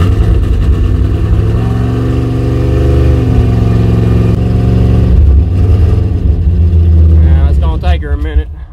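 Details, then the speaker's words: 1985 Chevrolet C10, ZZ4 350 V8, carbureted, cold start about 45°F: runs unevenly as throttle is worked, revs rise and sag, then dies; won't idle without throttle, owner suspects distributor problem. "it's going to take her a minute to get the word of idle and run without me holding the throttle but when it's on my daddy's Tru over there cranks up and idle's perfect don't have to play with it or nothing so pretty sure something up with my distribu"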